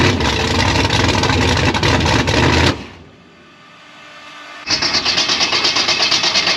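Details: Gasser C10 on start-up: catches, pops and runs rough and loud a few seconds, cuts out abruptly, then refires; stalls after startup, owner will back the idle mixture screws out to 1.5 turns, cause unconfirmed.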